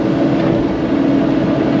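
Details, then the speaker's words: CAT diesel machine during land clearing: loud drone whose idle drops, gets jumpy briefly, then idles back up; erratic idle surge, cause unknown. "so she's doing something weird with the idol you'll hear it idle down for some reason and then it gets real jumpy for a second and then it will actually idle back up right there"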